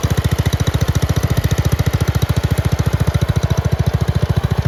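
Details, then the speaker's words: Red 1962 Bolens Ride-a-matic tractor first start after restoration work, started with some choke: even, quick thumping beat of about twelve pulses a second, steady with no misses or knocks; running well. "we are back in the workshop now uh because just after that last clip where it was running very well"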